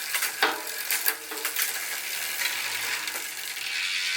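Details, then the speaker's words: Velo Orange rear hub on a touring bike, right after the freehub body was pulled and the pawls and ratchet ring cleaned and re-greased: spinning rear wheel gives a soft hissy whir with faint scattered ticks, much quieter than before, night and day. "well now people on the trip won't hear me coming so probably should add a bell to this one"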